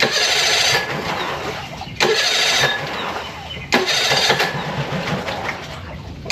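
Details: Mercury 25 hp four-stroke EFI outboard after replacing the idle air control solenoid and other parts, started with a little throttle, warming up: uneven surging idle with dips, seems like it will still die; cause still unknown.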